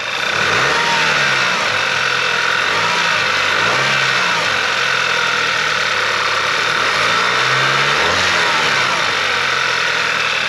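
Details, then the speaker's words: Audi/VW 2.0 TSI TFSI EA888 turbo engine after fitting the wastegate rattle clip: revs rise and fall cleanly with no chain-like clicky clatter after the drop; the previous turbo wastegate rattle is gone. "So you got none of that bike chain sort of noise, like the clicky click click click click click click afterwards that was in the previous video and in the bit we just put on now. That is totally gone."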